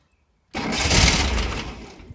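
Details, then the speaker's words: Over-40-year-old VW Bay Window T2 camper started after 18 months parked, with choke and clutch in; cold engine cranks loudly, slows and fades, never catching. Owner suspects a dying battery: crank no start. "nearly started on the second one it sounds like the battery might have died"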